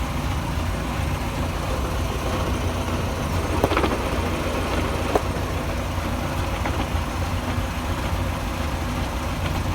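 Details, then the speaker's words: Land Rover Series 3 driving with rear wheels engaged after brake adjustment: steady low rumble, not grinding, from the gearbox with a few faint clicks; drivetrain vibration being diagnosed, cause not yet found. "so this is with the rear wheels engaged and you can hear like a rumbling not grinding but sort of rumbling from the gear"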